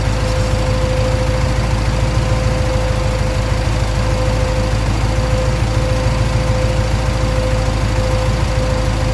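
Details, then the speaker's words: 1965 Pontiac Parisienne with a rebuilt 283 Chev V8, Turbo 350 and Holley Sniper EFI, after topping up transmission fluid: lumpy V8 idle rising and falling slightly in speed; owner suspects the Sniper parameters, which report the air-fuel (O2) sensor not connected. "success uh it's running not too bad it's it's surge idling a bit we have to look at that"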